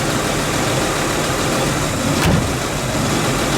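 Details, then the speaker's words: 1958 Chevrolet Biscayne survivor, 235 CI inline six, automatic, under 40,000 original miles, just after start-up; even, steady idle with no misses, knocks or ticks; normal idle. "All right, let's fire it up. Look how smooth it starts."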